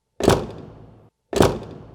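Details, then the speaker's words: 2005 Subaru Outback front door, before the TSB 12-104-07 fix: two door shuts, each a heavy thunk followed by a buzzy rattling ring trailing off for nearly a second. "Do you have an 05-07 Subaru Legacy or Outback and there is this rattle noise coming from either or both sides of your front doors?"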